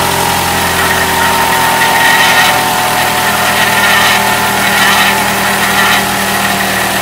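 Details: Cold morning start: steady even idle with a thin high-pitched whine over it, which goes away after about 3 minutes once the car warms up; source unclear.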